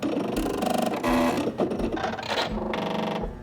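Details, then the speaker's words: Pfaff computerized sewing machine just switched on via side power dial with foot pedal plugged in: bursts of buzzing, whirring motor chatter as it warms up and homes itself. Pfaffs are noisy at power-on; normal startup noise. "Okay, it takes a minute for the machine to warm up. And when you hear that sound, don't be nervous. Pfaffs tend to make a lot of noise when they get turned on."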